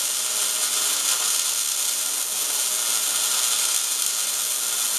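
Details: MIG welding at 200 inches per minute wire speed and 16.5 volts, drag technique close in, with big nozzle: steady, even sizzling crackle, no pops or sputter; properly set arc.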